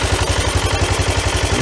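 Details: 1993 Yamaha Riva 125 scooter with a cheap GY6-type replacement carburetor, running after fuel flow was restored. A steady, even putter of about ten beats a second with no misses gives a clean, stable idle.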